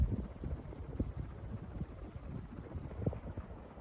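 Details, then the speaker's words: 42-inch Westinghouse Casanova Supreme ceiling fan on high speed. Soft, even airflow rumble with no ticking, wobble or rubbing; runs smooth and healthy. "you can really see this fan is doing a really good job on high speed I think this one is a little bit slightly better than the Celeste"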